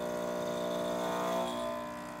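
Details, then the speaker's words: Steady, even buzzing hum from the newly replaced pump of a Nuova Simonelli Oscar II espresso machine while brewing a shot, swelling slightly as pressure builds, no rattle or strain; normal pump operation. "as you can hear that pump rev up"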